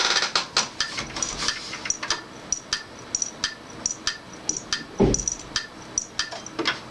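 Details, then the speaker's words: Old hard drive from the bin, connected while trying to recover files from a friend's AMD PC stuck at the logo: sharp repeated mechanical clicks, about three a second and uneven, over a faint spin; failing heads, drive dead. "So that's why this hard drive was in the bin."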